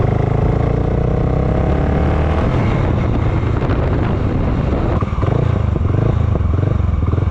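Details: Honda GB500 single, cold start with choke on: rough, lumpy beat that never settles into steady idle, starts then wants to turn off; cause not yet known.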